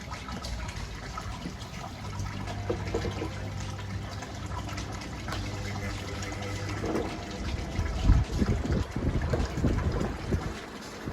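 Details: Small fan powered from a DIY power box after swapping a modified sine wave inverter for a pure sine wave 220 V inverter: soft steady low hum with no motor groaning; normal.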